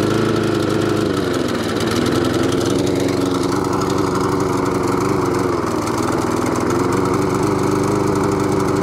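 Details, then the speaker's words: Webb mower with a Briggs & Stratton Classic engine, before repair, with a worn pull cord: an uneven run that sags and picks back up every few seconds and over-revs. The surging comes from a dirty carburettor and a tampered governor spring. "so that's what it's doing um and not very well it sounds a bit electrical bit of fuel and it's over revving"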